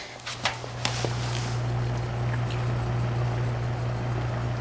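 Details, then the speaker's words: Toastmaster box fan, cleaned, on low (quiet) speed: low steady electrical motor hum with gentle air movement, no rattles or scraping — normal fan motor hum. "a motor, just humming. Very good fan. It's a good quality fan,"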